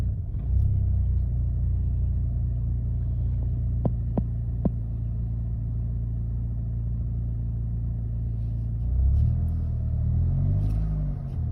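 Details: 2008 Chevy Malibu petrol engine idling with a deep, uneven throb and stumbling through a brief rev; this rough idle also shows up as an acceleration problem.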